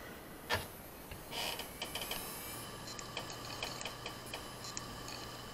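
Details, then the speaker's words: Hard drive donor shipped for head replacement: run of sharp light clicks, a handful a second over faint spin hum, then it shuts down; heads damaged, drive cannot read. "слышите да просто wind pipe пощелкал подергал головой и выключился"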